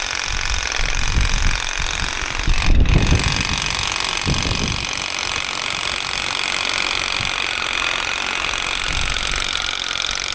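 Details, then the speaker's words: Old Makita DUN461 pole hedge trimmer tested outdoors after dismantling cutting head to fix stalling and lost power; buzzing blades bog into thumps twice then recover; jammed twice but unjammed on re-trigger, still lacking torque, cause unconfirmed. "I think that might actually have been a wee bit better. It only jammed twice. On both times when I pressed the trigger again, it kind of unjammed itself, whereas before it was just jamming all the time, a bit like Bob Marley."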